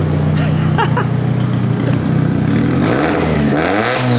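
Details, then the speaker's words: Nissan S13 with SR20 turbo, revving on a newly built custom turbo manifold, not yet tuned: loud, raspy exhaust with a shrill high-pitched edge that follows engine speed and hurts the ears. Owner thinks a resonator and new exhaust may fix the note. "The noise that it puts out at the back of the exhaust sort of hurts your ears. It's really high pitch."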